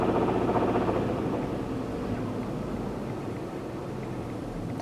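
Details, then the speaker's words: 2010 Cadillac CTS, oil pressure about 340 kPa (~50 psi). Revving brings a dull, loosely regular knock that gets louder with rpm; crankshaft or rod bearings suspected, damaged by poor lubrication from a faulty oil pump, unconfirmed. "qu'est-ce que c'est et bien je crois que ce sont les coussiné du vilbrequin ou les cousinés de Biel qui ont été affect parce que ce moteur là a été mal lubrifié suite au défaut de la pompe à l'huile"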